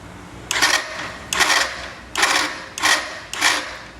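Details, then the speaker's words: Yamaha Factor/Fazer 150 and Crosser 150 motorcycle starter: five short harsh cranking bursts with loud grating whir; chronic fault, worn starter armature ends and gear, brushes alone don't fix it, starter motor must be replaced. "Quero compartilhar aqui com vocês aquele defeitozinho crônico, né? Nessas factozinhas 125, Phase 150 e Crosser. Ó o barulho do motor de partida. Ronca que é uma beleza."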